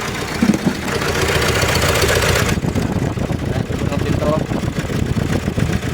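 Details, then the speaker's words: 2019 Nissan Terra diesel, automatic, idling with uneven stumbling beat and loping rumble, shaking the doors; misfire later traced to injectors on cylinders 1 and 4, water found in the fuel. "na so yun mga sir Ayan nanginginig pati yung pintuan sup palyado siya pero ngayon may power"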